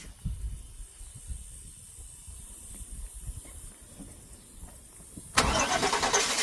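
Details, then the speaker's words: 2000 Cadillac Escalade with a crank-no-start fault, after electrical repairs: long uneven cranking with sputters, then it suddenly catches and settles into a loud idle. The engine was flooded and smelled of gas. "It's flooded. It's flooded. I can smell the gas."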